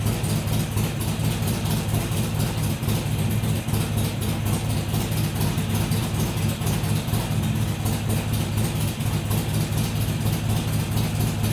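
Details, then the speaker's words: Harley-Davidson XR1200 V-twin on a cold start after tuning changes meant to fix its cold-idle problem. It fires and settles straight into a steady, even low lope with no hunting. "you can see there was no uh there was no hunting around it just fired up settled into an idle and didn't mess around after that"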